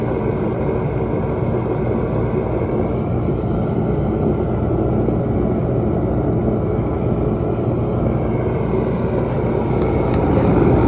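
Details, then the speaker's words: 140,000 BTU Mr Heater fan-forced diesel heater, a few years old with heavy mouse damage, after cleaning, fuel pressure about 6.5 PSI: smooth, even roar of fan and flame holding steady throughout, burning cleanly with a good steady blaze. "so I'm going to leave this one about 6 and 1/2 sounds good doesn't sound overpowered a good steady uh Blaze if you will"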